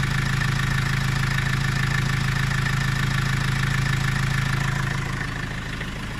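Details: Vivaro diesel cold at idle: low heavy idle, steady rapid knock three to four per second, uneven beat, until warmed up; also dump-valve noise in 1st/2nd, slight black smoke; owner suspects EGR or vacuum leak.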